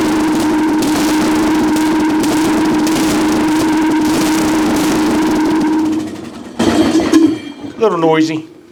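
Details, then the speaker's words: Craftsman LT1000 riding mower, sat outside roughly five to ten years, carburetor removed with fuel poured straight into the cylinder; loud rough running for six seconds then dies; exhaust has a hole, carburetor not feeding fuel. "has a hole in the exhaust that's for sure she's loud so all right that's good I just wasn't able to get the um fuel pist the carburetor"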